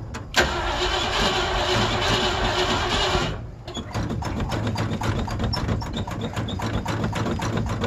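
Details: Old Ford Bronco cold-starting in December, described as very cold blooded and hard starting. The starter grinds for about three seconds before the engine catches and ticks into a rough idle; the cause is unknown.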